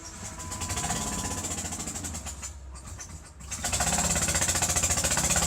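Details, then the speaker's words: Engine idling before repair of a blown-out spark plug hole: fast, sharp puffing tick, three to four a second, from escaping compression, sounding like rod knock; quieter than before, possibly since wiring was removed. "anyways you can hear that it sounded a lot different the other day where I was there's a lot louder it didn't sound like that compression that you hear"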